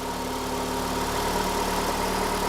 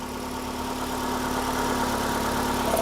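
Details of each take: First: 2012 Ford Escape 2.5L four-cylinder with P144A EVAP code, idling, purge solenoid unplugged and canister hose off: constant airy hiss as it still draws intake vacuum; purge solenoid stuck open, vacuum leak, needs replacement. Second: 2012 Ford Escape 2.5L 4-cylinder with a P144A EVAP code, idling while the purge valve is tested: smooth, even idle with a steady low hum and no misses or knocks. Normal idle.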